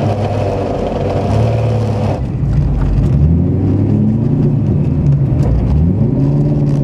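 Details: Fidanza 7.6 ceramic twin-disc clutch chattering on engagement and disengagement since first driven: engine revs rise and fall with a shuddering, juddery low rumble as the clutch takes up; cause unclear.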